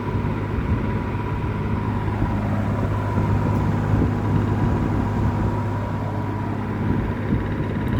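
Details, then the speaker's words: Likely 1950s W. W. Welch Air-Flight 20" box fan, model 20W-U, with a Universal motor and Torrington aluminium blades, freshly oiled and on high: a smooth, steady motor hum and an even rush of air, no rattles or ticking; normal running. "it's really quiet I am actually astounded at how how quiet this thing is it's a very smooth Runner too"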